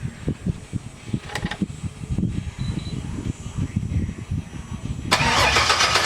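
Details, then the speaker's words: LS-swapped Chevy C10 with new Hustler headers, open header tubes, first startup: the starter spins the V8 in an even chug of about four pulses a second without firing, fuel pump fuse pulled to build oil pressure, normal. "Alright, I'm going to go a couple times. Okay. To try to build some oil pressure."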